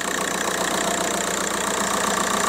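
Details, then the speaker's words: 2002 VW Golf PD130 diesel idling after the injector loom was replaced. Steady clatter with an even beat and no shake or stumble; there's no vibration and it's running just like it should. "there's there's no vibration it's it's running just like it should run it's a pleasant place to be"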